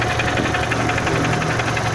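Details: Renault Symbol 1.6 16v just after arriving from a drive; the crank speed sensor was replaced a week earlier. A steady idle carries a sharp, even ticking knock about seven or eight times a second; the source is not yet identified.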